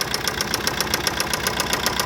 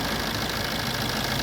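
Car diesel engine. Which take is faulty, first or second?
first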